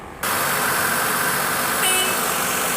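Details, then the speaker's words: Maruti Suzuki WagonR K-series with CNG kit, just started and running on petrol before switching to CNG: steady, even, smooth idle. The misfire appears only on CNG, and a faulty CNG injector is suspected. "तो petrol में देखेंगे तो smooth है कि खड़ी"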